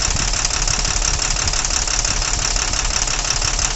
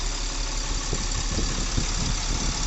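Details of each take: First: Tata truck with Cummins BS4 diesel, heavy vibration and no pickup: sharp regular tapping about three per second over idle, persisting through injector cut-out tests; valve knock. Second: Tata Cummins BS4 diesel truck after repair of tapping and vibration: even diesel clatter at steady idle with a regular rhythm, sound now smoother. Normal idle.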